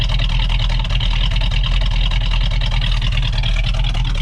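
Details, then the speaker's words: V8 car warming up on jack after thermostat and radiator cap replacement, burping radiator for overheating when parked: deep, even idle with steady lope, each cylinder firing cleanly, no knocks or ticks; normal idle. "let's just take a listen to this that sounds so good i mean you can almost hear"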